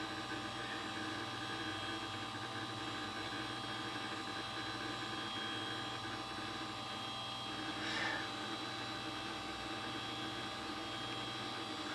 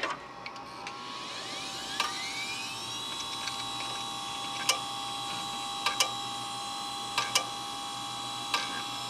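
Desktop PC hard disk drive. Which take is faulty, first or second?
second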